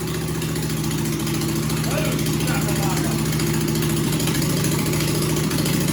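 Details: John Deere/Suzuki hybrid outboard, choke on, no muffler fitted yet: harsh raw single-cylinder bark at steady fast idle, loud throughout with exhaust open straight from the port; muffler to be fitted next, then much quieter.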